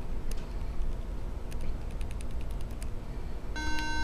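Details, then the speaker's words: MacBook Pro A1278 powering on with a few soft clicks, then a single buzzy beep, the startup warning that usually means a bad RAM memory chip. "okay that's the infamous beep sound when you turn on a Macbook that sometimes happens"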